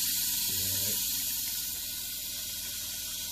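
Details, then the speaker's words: Water-methanol injection system tested before reassembly, run until the tank empties: a steady even high hiss with no sputter or pulsing as the nozzle sprays cleanly. A low-level sensor later cuts off. "Pretty cool. Yeah. Come on, we're just going to run out. Nice calm sound."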